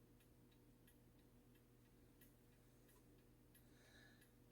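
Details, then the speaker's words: 85-year-old 1939 World's Fair novelty ball clock: faint, weak, struggling ticks about every two-thirds of a second. The clock keeps stopping, attributed to a dirty movement. "see how it stops ticking this is a a 1939 ball clock or uh World's Fair 1939 World's Fair ball clock"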